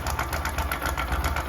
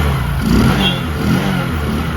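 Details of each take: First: Bajaj Discover 100 BS3 motorcycle, before repair: fast, evenly spaced metallic clatter over the idle; slack, stretched timing chain, tensioner tightening failed, fixed by replacing the chain. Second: Discover 100 (BS3) single blipped after timing chain replacement for a chain noise: revs rise and fall smoothly, no chain rattle at idle or on the rev; sounds healthy.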